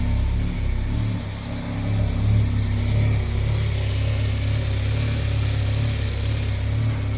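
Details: Citroen Xantia Activa, long-stored, first start after reversing and re-powering the fuel pump; engine catches and settles into a steady, low, even rumble with slight rise in revs, running on its own.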